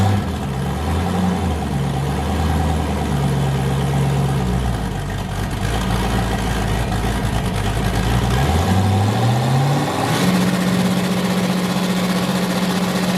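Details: Boosted V8 with a new cam, fired up after a repair and not yet warm; it had earlier hit 23 psi and blown a coupler. It lopes at idle with a rough, uneven cam chop, then revs up cleanly and holds a steady higher speed: a normal choppy cam idle.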